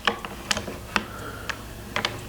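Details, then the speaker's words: Mosin Nagant rifle bolt, checked for sticking and binding: light, crisp metallic clicks in quick sequence as the bolt cycles, with no scraping or hard catches; moves freely, silky smooth. "we're going to just check it look at that silky smooth"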